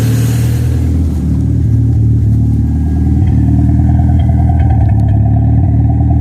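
Engine revving with an uneven, stumbling rumble and irregular beat instead of a smooth pull, consistent with a misfire under load.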